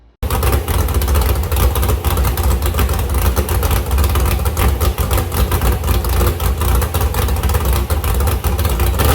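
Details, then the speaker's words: Ford 351 Cleveland at 354 ci, 615 hp, stock iron 4V heads, APD 1050 cfm carburettor, crank trigger, on an engine run stand, running after sitting 8 years: a deep, loud, lumpy V8 idle through open headers, steady and even with no knocks or misses. "But man, she fired up good. Those headers sound bad."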